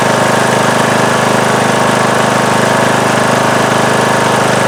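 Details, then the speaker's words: Briggs & Stratton 19.5 hp single-cylinder Craftsman mower engine at full throttle after re-gluing loose flywheel magnets: smooth, even high-speed note with steady fast beat and no crunching or high-pitched vibration; normal running. "But I didn't hear that sound, that crunching sound, or that high-pitched vibrating sound that was bugging me earlier."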